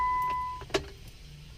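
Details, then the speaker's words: Jeep with a delayed-start and no-crank problem: warning chime, one dull click when the key turns, then silence with no cranking; failing starter motor. "No, nothing. Nothing. So today I'm kind of lucky in that it's reproducing."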